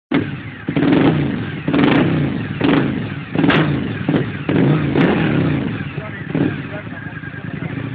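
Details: Suzuki SV1000S revving with sharp blips and loud cracks and pops from the exhaust with flames; misfire and backfire, owner says it needs new spark plugs.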